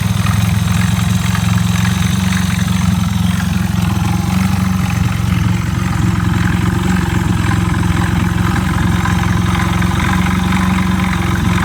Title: エイプ1○5 エンジンから異音